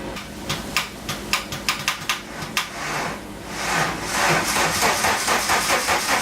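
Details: 1985 VW Cabriolet off the road for 17 years, cranked on a weak jump starter: sluggish, uneven starter churning about two turns a second with hissing between; slow cranking from low battery.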